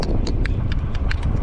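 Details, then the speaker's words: FlyEbike RZ electric bike, stock, while riding: quick hollow clicks and rattles from the power cable jumping around loose inside, heard over the near-silent motor. "that's jumping around and uh the damn power cable in there jumping around"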